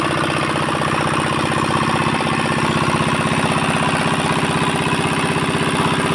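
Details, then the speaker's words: 4-hp Chinese diesel engine after fuel pump plunger installation and nozzle pressure setting: steady even thumping about four beats a second, no knocks or misses; normal running. "তো finally বন্ধু আমাদের ইঞ্জিনের fitting complete হয়ে গেল। ইঞ্জিনটা এবার start করবো, সাউন্ডটা একবার শুনুন।"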